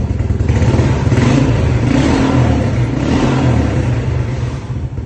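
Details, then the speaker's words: 1987 Suzuki LT4WD 250 quad runner, single cylinder, after replacing the wrong carburetor with the correct one and setting it up; revs up and settles back cleanly with even throaty note, no misses or clatter; normal revving. "sounds well she's driving pretty good"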